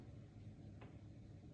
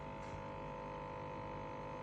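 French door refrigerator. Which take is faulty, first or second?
second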